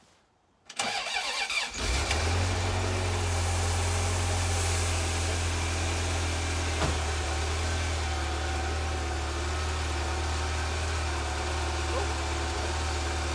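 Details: Ferrari 348 V8, first start after the plenum chamber and cam covers were refinished and reinstalled and fluids refilled: a short crank, then it catches at once and holds a smooth, even idle for over ten seconds with no misses or knocks.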